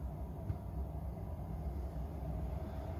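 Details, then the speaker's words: Diesel heater after motherboard and controller swap from new to old type, just ignited and warming up: low steady rumble with soft even roar, no misfire pulses, burning cleanly; one bar up. "that sounds like we have ignition yes we have we've got one of the bars has popped up one of the bars has popped up the unit is starting to warm up"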